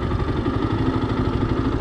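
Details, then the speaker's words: 2015 Yamaha YZF-R125 single-cylinder idling, clutch let out slowly: steady even thump with the note sagging slightly as the clutch bites and the bike begins to pull away; normal clutch engagement. "so if i let this clutch out slowly you'll hear the bike begin to change in its tone once it begins to engage the clutch which you will hear it"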